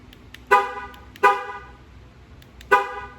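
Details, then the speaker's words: Jeep Gladiator after replacing the dead key fob battery; three short horn toots outside, each answering a lock press, remote working again. "now let's test it you should hear the horn on the jeep outside honk let's do it"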